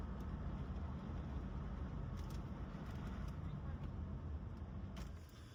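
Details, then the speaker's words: Wife's Volvo driving fully warmed up after a cheap, botched repair while the proper part is on order: a quiet, even engine note with no hiss, flutter or whistle. The expected diaphragm noise is absent. "Okay, back at the house. Everything sounds good. I don't hear anything."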